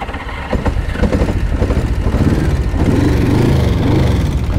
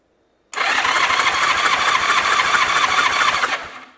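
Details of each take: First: 1981 Honda GL1100 Gold Wing started with taped fuel hose: lumpy, uneven firing with stumbling beats and surging revs; running on fewer cylinders. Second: Abandoned 1981 Honda GL1100 Gold Wing (second generation) with a previously seized engine, compression test at full throttle. Steady fast cranking, even and strong; gauge reads 175 psi, good cylinder.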